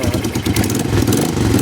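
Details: 1988 Honda Bros 400 V-twin in for rewiring, with a carburetor main jet of 100 that was checked against stock: loose, loping potato-potato rumble at idle with a shaky uneven beat, normal for this engine.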